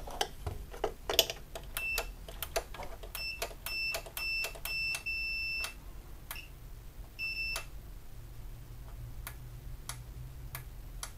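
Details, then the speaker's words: New Nivona 690 coffee machine with a factory defect (dumps ground coffee into the tray). The microswitch sensor on the gear unit is tested with a continuity tester: it clicks, but the beep comes only on a full press, pointing to intermittent contact. "Если вы сейчас слышите щелчки, это хорошо. Но то, что в момент щелчка нет у нас звукового сигнала, это плохо. Это я чуть-чуть нажимаю датчик, но не нажимаю его до упора."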